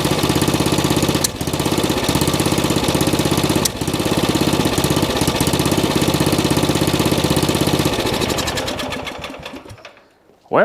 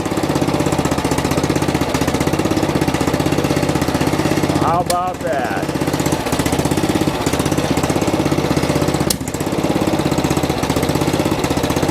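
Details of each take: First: Old riding mower single-cylinder engine after fitting a cheap Chinese knockoff carburetor, firing steadily and evenly at a fast beat with no misses, then winding down cleanly; better than before; normal running. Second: Old riding mower single-cylinder engine just refitted with a cheap Chinese knockoff carburetor, choked on startup, running fast with uneven tapping about four per second; owner suspects carbon on a valve; valve ticking noise, cause unconfirmed.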